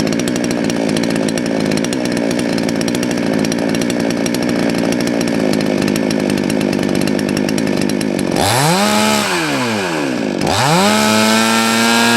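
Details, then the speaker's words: Salem Master chainsaw after the jet was turned back about half a turn counterclockwise: steady high buzz at full throttle, then clean revs dropping and climbing without stumbling; back in tune, oiler spraying well. "wow there we go back into tune and you can see the oilers working good"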